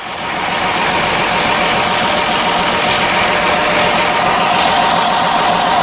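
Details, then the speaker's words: Chrysler 300 petrol engine with code P0406, idling under a loud, steady hiss from a vacuum leak at the EGR pipe; owner guesses air is hissing into the intake manifold. "Okay, so I definitely think that's a vacuum leak. Now, I think the air is actually hissing into the intake manifold."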